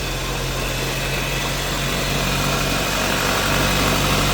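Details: Mazda CX-5 with a diff whine above 40–60 km/h checked for rear differential versus coupling whine; here a steady, even drivetrain hum with no whine rising above it, so the front differential sounds normal.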